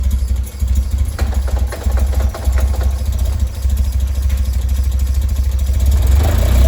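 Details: Westfield with Zetec Blacktop engine at idle: low thrum with an uneven, stumbling beat, pulses dropping out irregularly before it picks up; a misfire at idle, cause still unknown.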